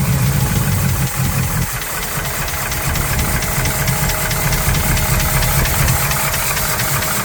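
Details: 1971 Chevrolet El Camino SS big-block V8 idling with valve covers off while diagnosing valvetrain noise; steady idle with irregular light ticking over the rumble, cause not yet found; valvetrain noise at idle.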